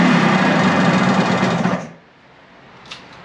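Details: Suzuki two-stroke bike after a second carburetor cleaning, on choke, idle throttle adjustment thought too low, vacuum petcock port covered by a finger: crisp, even beat for a couple of seconds before shutting off; normal running.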